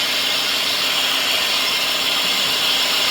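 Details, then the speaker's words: 2008 Lexus LS460 V8 at idle after a transmission fluid service: steady high-pitched shriek from a serpentine belt tensioner/idler pulley, likely worn; belt to come off and pulley to be replaced. "That one's making noise. What we're going to do is going to take that belt off, see if we can fix that shrieking noise, and uh get this issue resolved."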